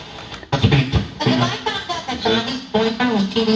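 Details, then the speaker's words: PylePro PPHP8MBA speaker: turns on, but music is harsh, buzzy and crackly on every loud note, badly distorted; something heard dangling inside the cabinet, cause not yet found before opening it. "the problem with the speaker is it turns on but it sounds very distorted"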